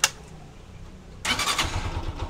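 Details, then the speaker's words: Honda TMX 125 Alpha single, hard push-start complaint, after new battery with old rectifier refitted: click, brief pause, catches on first push and settles into lumpy idle; battery 12.7 V, stock charging suspected weak. "so one Push start pa rin Hindi katulad nung unang pagdala dito na mahirap i start"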